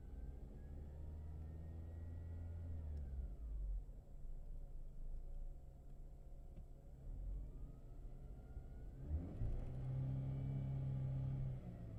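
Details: Mercedes W211 E200K: after brief throttle blips revs drop and pulse, idling unevenly with hunting rhythm; no pulsation above 1500 rpm.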